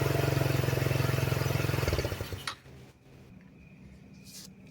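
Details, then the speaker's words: GY6 scooter after CVT repair, bolt torqued to about 39-40: small engine pulsing steadily about four beats a second, then clean shutdown; bolt stays on, transmission runs smooth with no rattle. "Definitely stayed on this time. Didn't start spinning itself off like I was seeing before."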